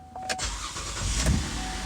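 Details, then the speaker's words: Car idling after starter replacement with catalytic converter and knock sensor refitted: steady low rumble, no ticking or puffing, no exhaust leaks heard. "all right pretty good everything sounds good i don't hear any exhaust leaks or anything like that"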